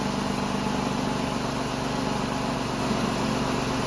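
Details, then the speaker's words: Ford Escape 3.0 idling after alternator replacement; the alternator charges well and the battery light goes out right after starting. A smooth, even idle with a steady low hum and no ticks, squeals or whine from the belt-driven accessories; running healthy. "But as far as the alternator goes, everything seems to be charging up good. Sounds good. The battery light goes out right away as soon as I start it."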